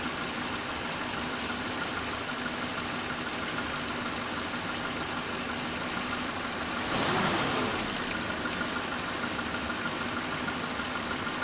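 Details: Suzuki Katana carburetor engine idling steadily around 750 rpm after carb cleaning and idle mixture screw set 3/4 turn back from rpm drop; smooth, regular beat, no misses or knocks; normal idle.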